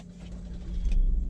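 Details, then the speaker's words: Maruti Brezza after replacing the faulty starter motor: short crank, then engine catches and builds to a steady low idle with no grinding or clicking; normal start after repair. "Start हो चुकी है हमारी देख सकते हैं कोई भी light नहीं आ रही है"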